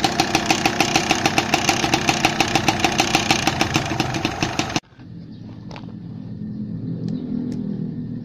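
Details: Yamaha Alfa two-stroke engine running, weak power: quick even knocking over the engine note until it cuts out; worn piston slapping in the bore, piston to be replaced.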